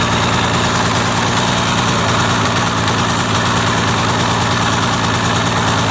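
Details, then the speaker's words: 2002 Yamaha SX Viper two-stroke snowmobile leaking clear gas from the front of the engine while running: loud drone at steady speed with a ragged edge; rough running, owner suspects it is starving of fuel. "It would start up. Run. Sounds like it's gonna starve of gas."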